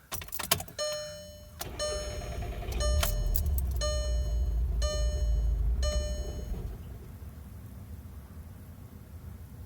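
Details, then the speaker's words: 2012 VW Jetta GLI, warm, fed Shell V-Power, recirc valve replaced, transmission recently serviced, restarting after it shut off when shifted to drive and back to park: warning chimes, short crank, engine catches and rumbles a few seconds then dies; advisor suspects fuel pressure or transmission solenoid. "I just put the car in drive and then put it back into the park in the car shut off I'm gonna try to start it I'm gonna try to start it again"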